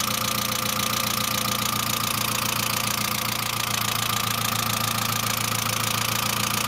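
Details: Saab 900 (C900) after engine/head rebuild: constant sharp lifter tapping, three to four per second, over a steady idle. No oil leakage, oil pressure lamp off. Oil return line leak seems unlikely; owner now suspects the oil pressure relief valve, inspected but not thoroughly cleaned during rebuild.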